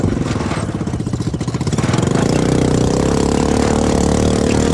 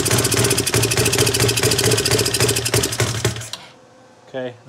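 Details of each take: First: CFMoto 250cc 172MM GY6 single-cylinder buggy with rebuilt head and old pickup coil spliced back in place of bad new one, desert riding: smooth pull, pitch rising and easing with throttle, no misses or knocks; healthy running under load. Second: CFMoto 250cc 172MM GY6 single-cylinder after head rebuild, idles fine but on throttle: uneven sputtering beat about four pulses a second that breaks up and dies; misfire, later traced to faulty ignition pickup coil.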